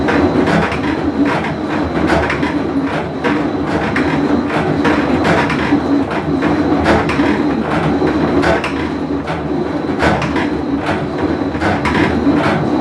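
Loud steady rumble with irregular clacks through the agitate cycle, the deep growl of a worn tub bearing in a top-loader.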